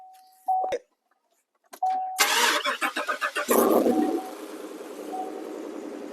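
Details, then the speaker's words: 2015 Chevrolet Silverado 2500HD started cold: loud, raspy, puffing idle with sharp ticking pulses. Owner suspected a plugged muffler, but the catalytic converter, already hollowed, has its flange nuts completely gone, causing an exhaust leak and the sudden loudness. "um it had been hollowed already but uh for some reason those bolts completely or the nuts are completely gone from that so that explains why I got so lot all of a sudden"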